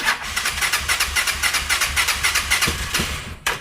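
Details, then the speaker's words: Motocarro (three-wheel cargo motorcycle) impossible to start in the mornings; fast rhythmic cranking three to four beats a second, a few rough catches, then dies; fuel confirmed present, hard start from weak spark. "El dueño manifiesta que en las mañanas es imposible prender. Hemos estado haciendo nosotros las pruebas y realmente es verdad."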